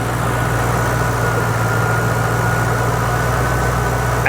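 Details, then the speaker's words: Roush 427R V8 bought from a salvage auction, check-engine light on, factory manifolds, charging at 14.2 volts: deep, steady burble at idle with an even rhythm and no ticks or misses; normal idle. "AC is ice cold car runs perfect what do you guys think"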